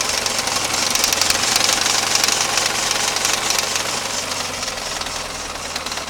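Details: Lada 21093 petrol engine running: quick sharp metallic tapping about four a second riding over the engine, a clear internal engine knock; cause suspected, not confirmed.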